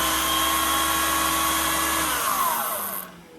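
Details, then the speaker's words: Canister vacuum power nozzle head with a head-mounted rocker switch, earlier had no power; after re-securing connections, brush raised off the mat, steady high motor whine with even buzz, smooth spin-down when switched off; motor sounds healthy. "the motor looks fine it sounds good if you just noticed the motor sounds very good um and everything else looks good looks secure nothing seems loose"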